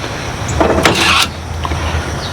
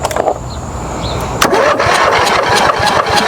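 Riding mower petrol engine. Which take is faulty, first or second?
second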